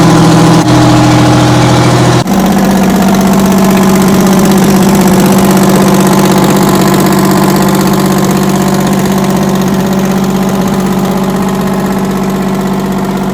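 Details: 60-year-old Massey Ferguson 98 tractor with Detroit Diesel GM 3-71 two-stroke diesel, first start after restoration: fires right up and settles to a steady, even idle hum of about four beats a second; healthy.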